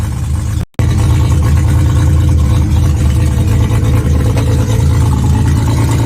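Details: Mazda RX7 12A rotary at first start: loud, raw, harsh blatty rasp with no muffling, like open headers; little or nothing comes out the exhaust, so an exhaust leak is likely.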